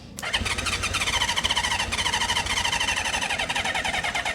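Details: 1976 Honda CB550 four parked 48 years, on carb cleaner sprayed into the airbox: rough, uneven pulses, catching only on the spray and stumbling along.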